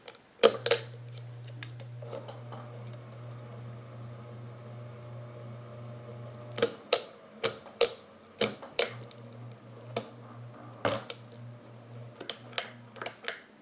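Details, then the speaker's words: Old polished-brass Alaron ceiling fan with a suspected completely failed capacitor, motor cold to the touch; a low steady hum with no speed build-up, then loose clunks and clicks as the motor runs weak and slow. "it sounds like the capacitor has just failed completely"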